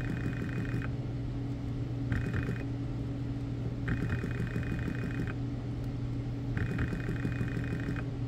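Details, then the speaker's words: BMW E60 electric water pump bench-tested dry with 12 V on pins 1 and 3, ground on pin 4: steady motor hum with intermittent bursts of higher whirring, hesitating instead of ramping right up; pump is bad. "it'll ramp up sometimes there we go so not sound in the greatest definitely an issue with the pump yeah it's dry but it's shot anyway"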